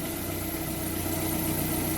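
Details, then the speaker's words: Hot petrol engine after an oil top-up of about 600–700 g: hydraulic lifter knock gone and idle even, with only a faint steady whirr from a worn alternator bearing, to be replaced later. A cold-start recheck is planned. "в принципе все стуки пропали 2xy работает ровно единственное что подшибник 30 тн генераторе на этом это поменяем следующий раз"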